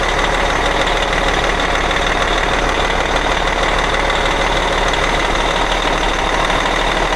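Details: Cat 657E scraper with Caterpillar C18 diesel, running after repair of oil loss from failed air compressor (new timing cover, cam and idler gears, compressor, repaired pan, bearings checked): loud steady rumble, even beat, no knock or rattle; normal running.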